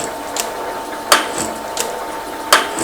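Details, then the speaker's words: Metal shaper with a large brazed carbide tool reaching the rail's hard outer skin and throwing blue chips. A sharp cutting clack about every 1.5 seconds on each stroke; heavy cutting noise on hard material. "a lot of Blue Chips almost out of the light again we're getting up to that hard part"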